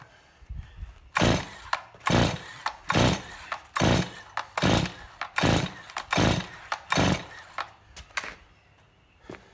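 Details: Stihl MS261C first-generation chainsaw, rebuilt carburetor, white fuel solenoid fitted, decompression valve in, start then run position: starter-cord pulls about one per second, rough whir dying away with no firing; cranks but won't start.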